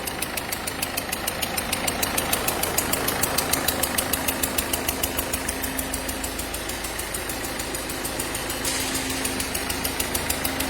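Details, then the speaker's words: Ford Fiesta 1.4 TDCi DV4 68 hp diesel at idle: sharp regular chuffing tick about three per second over the clatter, symptom of leaking injector seals; all four seals to be replaced. "[Musique] c'est des symptômes des joints d'injecteurs va donc remplacer l'ensemble des cas demain de l'adducteur sur le dv 4 et les passages de 68 chevaux"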